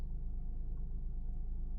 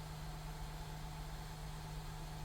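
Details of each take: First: Honda Pilot 3.5 V6 with only code P3400 and a check-emission message, barely able to exceed a couple mph. Deep uneven chugging idle, likely running on three cylinders. Owner suspects oil pressure sensors, dirty or low oil. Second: Honda Pilot with code P3400, check emission system warning and sluggish running below 30 mph, after sensor replacement torqued to 18 ft-lb: smooth, steady low idle with no misses or hunting while warming up, sounding better than before. Normal idle.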